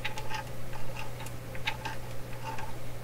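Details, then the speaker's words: Canadian General Electric K60 radio: turning the wire-wound tone control gives uneven ticks and scratchy clicks over a steady low hum as the slider rides the wire turns; normal for this control. "okay but we know what it is it's the tone control it sounds like it's wire-wound"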